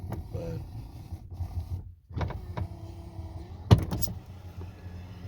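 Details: Lincoln Continental passenger front window motor after repair with new torque pins: steady hum through its travel, a few firm thumps where the glass stops, normal operation with the earlier clunking fixed.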